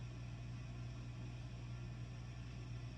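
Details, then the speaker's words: 1963/64 Vox AC30 valve amp: a steady low hum with soft hiss. Suspected noisy capacitors in the vibrato/modulation circuit injecting noise before the phase inverter, affecting the noise even with vibrato switched off. "So if you have noisy caps in the vibrato circuit here, either the modulation or the vibrato bit, then increasing the signal in a preamp will increase the noise, and then it's injecting that noise back."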